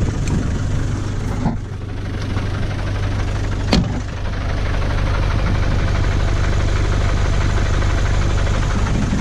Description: I have never been able to film an engine that doesn't end up sounding like a bag of hammers on a GoPro video, but this engine is quiet, smooth, smoke free and in perfect health, with only 68,000 documented original miles.